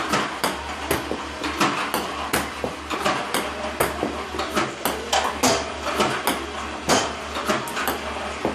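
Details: iPong Pro ball launcher, 4 weeks old, about 2 hours run time, clean Joola 40mm balls, power cord fully plugged in: irregular sharp clacks about forty a minute, uneven spacing and strength; misfiring increasingly often.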